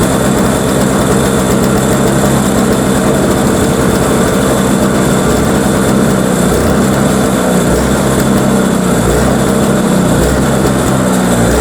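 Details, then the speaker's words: Toro Power Clear 21in single-stage snowblower, 141cc 4hp two-stroke, pull-started because the electric starter's Bendix isn't engaging. After a first carb cleaning it idles with a rough patter swelling and sagging over several seconds; still surging, carb suspected. "okay so she's still surging guess I'm going to have to go through that curb a little bit more in depth"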